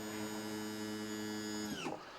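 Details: Mercruiser 120 hp sterndrive on a 1976 StarCraft, new SEI trim pump and lift cylinders, after bleeding air through 15–20 cycles: steady electric motor hum at constant pitch, then stops; trim pump healthy, normal running.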